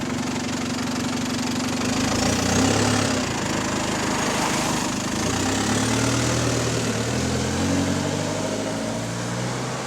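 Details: GAL SEN18 bus (XFE convert) on route 386 with a developing exhaust leak: diesel idling with a loose, uneven puffing chuff about four beats a second over the rumble.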